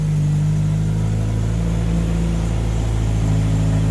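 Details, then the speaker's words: Silva S13 after fuel system rebuild with fuel pump reconnected, first consistent running and full power, revving on stands: strong, even engine note with a smooth low throb, no knocks or misses; healthy revving. "you done Stan this is the nicest this cars ever sounded it's absolutely amazing"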